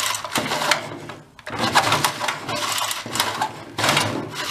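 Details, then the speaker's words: Troy-Bilt backpack leaf blower rescued from the trash, previously locked up, pulled by its cord: rough, clattering bursts instead of a clean spin. "got a very it was locked up but it sounds like it's blowing up let's go take a look inside see what happened"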